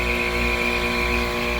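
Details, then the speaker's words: Homemade VFD-driven heat pump compressor running: steady high metallic hum over compressor drone, unchanged when compressor is moved; something metal resonating, source not yet found. "but something metal wise is really humming I don't want to hear that inside the house"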